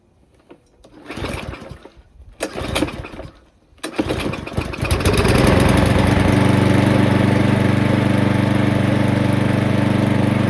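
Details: 2007 Parkside lawnmower, dump find, reassembled with air filter off: a few cord pulls with coughs, then it catches and settles into a steady, even single-cylinder run with no misses; judged worth repairing.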